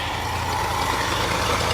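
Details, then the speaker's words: 1966 Ford F250 carbureted engine, started after sitting overnight without pumping the pedal, after the fuel tank reinstall: a rough, uneven, lumpy idle keeps sagging, then dies abruptly as the float bowl runs dry. "Yeah, I think it's out of fuel at this point, so let's crank it just to see if there's no fuel. Man, it just died like hardcore, like it was run, and just poo, like it was done."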